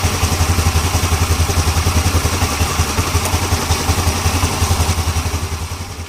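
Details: Yamaha Ego LC scooter after checking CVT noise and reassembling with new parts: even, steady thumping idle with no rattle or clatter from the belt drive, easing off toward the end; sounds normal.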